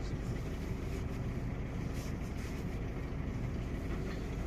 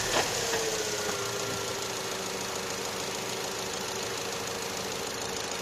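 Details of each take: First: Opel/Vauxhall Astra J 1.4 with check engine light, runs strangely and shakes: low, uneven idle with an irregular stumble; scanner shows misfire counts rising on cylinder 1. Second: Opel/Vauxhall Astra J 1.4 after new spark plug and ignition coil for a cylinder 1 misfire: quiet, smooth idle with no stumble or miss, short rev blip returns cleanly; misfire counts now zero on all cylinders.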